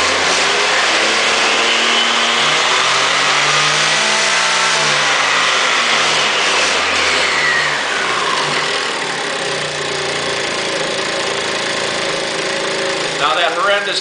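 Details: 2002 Aprilia SR50 DiTech two-stroke on a lift table, fuel pressure test for wide-open-throttle power loss above ~30 mph (pressure 7.5 to 5 bar); revs climb to full throttle, hold, drop back with rattle from the table, never cuts out.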